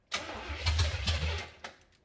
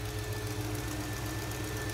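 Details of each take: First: 1970 Oldsmobile Cutlass V8, sat about 15 years: quick uneven chug for about a second and a half, never catches, dies away. Crank no start; suspected fuel starvation, carb bowls possibly not filling, later fuel poured in. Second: 1970 Oldsmobile Cutlass very mild V8, revived after 15 years, adjusted back to about 10 and left there: steady, even low idle rumble, constant pitch, no stumbling or hunting. Normal smooth idle.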